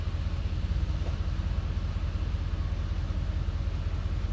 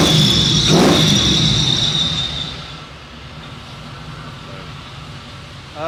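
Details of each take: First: 1973 Chevy C10 with fresh 6.0 V8 swap: deep steady idle with a light rattle repeating two to three times a second; owner first suspected flex plate, then found the cold air intake rubbing the fan via an odd bracket. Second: 1973 Chevy C10 with 6.0 V8 swapped in for a 454 that wiped out its bearings, Flowmaster FX mufflers, still needs tuning: loud raspy rev, no ticks or rattles, winding down to a low even idle; normal exhaust note.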